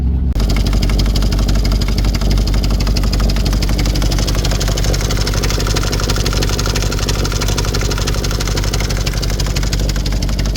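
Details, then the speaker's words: VW Touareg 4.2 V8 that shut down after a hard off-road session gives a loud, harsh, fast clatter at idle from the top of the engine, while smoke comes from the bottom; oil pressure and coolant warnings are showing. "It will start up, but it is noisy as hell. So I'm going to have a look at it. Sounds like it's coming from the top of the engine, but it's smoking from what looks like the bottom."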